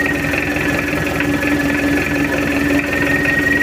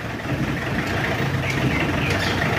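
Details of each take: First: Mitsubishi L200 diesel after engine overhaul, test run with injection timing advanced: steady even idle, smooth low clatter with no knocks or misses, engine calm, oil pressure normal; healthy running engine. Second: Mitsubishi L200 Triton diesel, worn with poor compression, idles with a heavy, uneven, limping beat; hard cranking, broken glow-plug button, injectors likely bad, raw white smoke mixed with oil, running hot, blow-by heavy; misfire-like rough idle.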